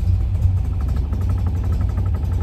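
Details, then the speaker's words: Classic car with AccuSpark BlackBox 3 programmable ignition, vacuum hose pinched: low, lumpy, uneven idle on 10° initial advance only; reconnecting vacuum advance smooths the tick-over immediately. "see so we got no vacuum that would be just standard initial Advance put that back on and the car immediately picks up and ticks over a lot smoother"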